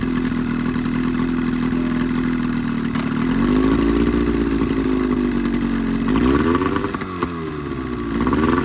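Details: 1985 Evinrude 20hp outboard modified to 25hp two-stroke, after a full service with new primer seals, reeds, thermostat and gaskets: a steady buzzing note that rises and falls smoothly with throttle blips, no stumbling or misses; healthy running.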